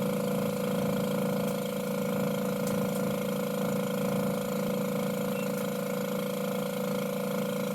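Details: Met One E-SEQ-FRM sequential sampler pump at the 15 flow check point, factory calibration good, reference 14.92 entered: constant mid-pitched hum with steady low drone, no flutter or knocking; pump running normally.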